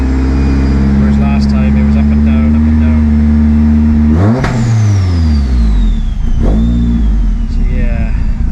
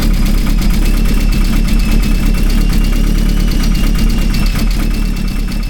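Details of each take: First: Vauxhall Astra VXR with big Pulsar PSR4849G (G25-550) turbo, headwork and intercooler, unmapped, same injectors, MAF unplugged, warming from 74 degrees: deep, even steady idle with one brief rev settling straight back, no hunting. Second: Vauxhall Astra VXR with headwork, Pulsar PSR4849G (G25-550) turbo, intercooler and large intake: lumpy uneven idle with deep irregular throb, confirmed boost leak, smoke coming through the turbo where a small bolt was missing.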